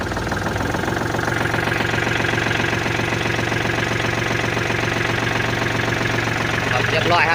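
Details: Kubota L4018 tractor diesel, after a no-start with a dead starter solenoid, at settled idle: steady, even clatter with a regular beat, no misses or knocks; runs healthy.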